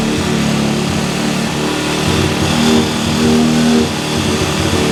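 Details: Cheap quad bike ATV after new wiring loom, cleaned carburettor, new spark plug, CDI, regulator, battery and clutch, jump-started and warming up: small single runs smooth and even with clean throttle blips; normal running.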